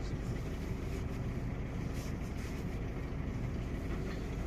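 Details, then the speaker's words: Opel/Vauxhall Astra J 1.4 with check engine light, runs strangely and shakes: low, uneven idle with an irregular stumble; scanner shows misfire counts rising on cylinder 1. "Astra J 1.4 rateuri. Merge ciudat motorul tremură și am lăsat prânz de acuma două."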